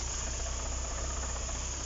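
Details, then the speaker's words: Engine rebuilt by a shop, idling in neutral with a non-start history: a fine chattering rattle-whir over the idle that goes away when the clutch is pressed, pointing to gearbox noise from a worn bearing or a dry, low-oil gearbox. "If you step on the clutch, that sound will go away. Which confirms either your bearing is out, which you play out, or the gearbox is dry, meaning there's very little oil in it."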